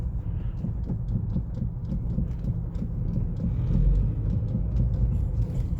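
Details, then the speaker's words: Car driving over speed bumps with irregular dull knocks from the front suspension over a heavy low road rumble. Knocks also occur on sharp steering turns; the steering rack rattle is gone. "получается когда едем нет в принципе тоже стук есть но не настолько сильный"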